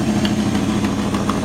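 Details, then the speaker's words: 1955 Ford F-100 with original drivetrain, hood open at idle: even idle with a sharp tick-puff every third of a second over the engine hum; exhaust leak at one exhaust manifold, possibly a broken bolt. "now one thing this truck does have is a little bit of an exhaust leak out of one of the exhaust manifolds you pop the hood and let you hear the engine"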